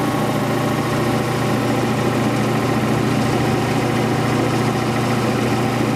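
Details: Quincy Model 325 compressor with rebuilt lower end and new starter, pump on the tank. Inspection plate and shims were siliconed against water ingress. Test run at 18-20 psi oil pressure: steady, even pumping drone with a smooth rhythm, no knocks or rattles. Normal running.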